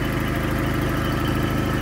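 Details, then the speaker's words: 1994 Toyota pickup 22RE four-cylinder, parts truck with good engine, some hoses missing/disconnected and loose belts: steady even idle with smooth low pulse, no knocks, misses or stumbles; runs well. "Bueno, a pesar de eso, el motor se siente muy bien y muy parejito."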